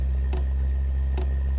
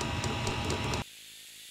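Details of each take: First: Webasto Dual Top diesel heater run without its ECU, using simple controllers, as the burner lights. Sharp ticks about 0.85 s apart over a steady hum, normal pump pulsing. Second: Webasto Dual Top diesel heater run without its ECU on simple controllers, carbon monoxide being watched while tuning; more fuel and air added and it overshoots to a loud steady hissing roar. Over-fuelled, over-fired burner.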